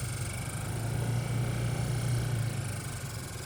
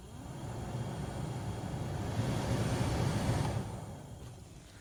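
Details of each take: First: 2003–2006 Honda Element heater blower motor with leaves caught inside; steady low fan drone with a rough fluttering rumble; blower motor debris noise. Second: 2003–2006 Honda Element heater blower motor, refitted after removing leaves that caused noise: smooth even fan rush with no ticking, rattling or scraping, then quiet wind-down; normal blower operation after the fix.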